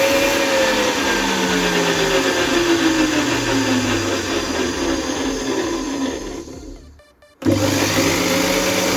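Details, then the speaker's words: ARSHIA TURBO FORCE 3000 meat grinder after the metal gearbox gears were lubricated and reassembled: steady motor whir with a smooth, even gear hum, no grinding or knocking; the loud noise, caused by a lack of lubrication, is almost gone. "As you can hear, the noise has almost completely disappeared, which means it was due to a lack of lubrication."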